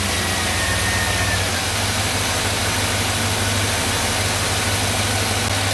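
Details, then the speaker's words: 2005 Chevy Silverado 2500HD 6.0 LS V8 after new spark plugs, wires and coils, AC compressor off; even steady idle, smooth unbroken rhythm; earlier idle misfire, probably cylinder eight, now cured. "yes that is much ni I turned off the AC compressor so that we didn't hear that uh that's much smoother so so we definitely had a misfire"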